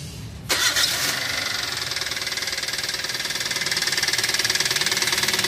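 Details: Toyota Avanza that drove through floodwater: engine fires and idles with a steady sharp knock about four times a second from a damaged connecting rod; engine needs rebuilding.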